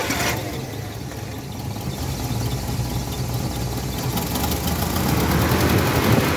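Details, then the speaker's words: Car that stalled while driving, ignition coil resistor with broken internal spring blamed: engine fires and holds a steady, even idle rising slightly toward the end, no misses; stalls when the wire is disturbed; normal idle here. "ये run देखा आपने गाड़ी start हो गई ठीक है"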